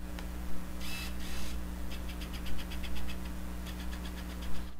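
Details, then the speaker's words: Canon T3i autofocus motor noise picked up by the camera's built-in microphone, which sits close to the autofocus motor: quick bursts of faint high clicking over a low steady hum; the advice is to avoid autofocus while filming. "já deve ter vido gravado esse barulhinho então porque o microfone tá muito próximo o microfone tá aqui a o sensor da câmera o o motorzinho do do autofocus tá trabalhando Então normalmente grava"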